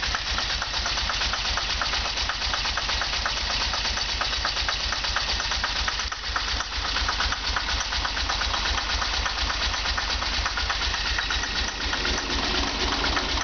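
Uneven, lumpy idle with an irregular beat, roughly two pulses a second, over steady engine drone; idling rough, cause unclear.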